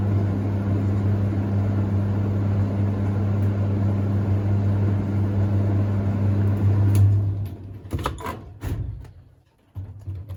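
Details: Hoover Ecologic D6722 reversing tumble dryer, after being taken apart and de-fluffed internally, test run with lid on: smooth steady drum and motor hum for about seven seconds, no thumps or squeals, then stops; smoother than owner's older one; normal operation.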